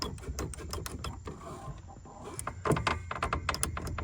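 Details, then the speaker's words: 1967 Shelby GT500 whose clutch won't fully disengage: irregular creaks and sharp clicks as the pedal nears the floor, with the master cylinder catching its front plate and the firewall bending. A binding master cylinder is suspected, not confirmed. "So, when I push the pedal in and we get kind of close to the bottom, you can hear it creaking and you can actually see it catch that front plate and start to bind up."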